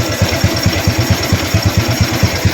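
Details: Used Honda Wave 110i after a top-end teardown, with a new piston fitted, to cure cam chain and cylinder head noise: an even, regular idle at about six pulses per second with no rattle or chain slap. The repair has made it quiet.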